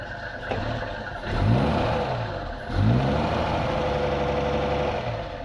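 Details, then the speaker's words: 1949 Rover 75 P3, 2103cc inlet-over-exhaust engine, bonnet open: two clean throttle blips rise and fall smoothly back to an even, steady idle. Healthy and responsive. "Beautiful, all this mechanical gubbins going on. Just delightful."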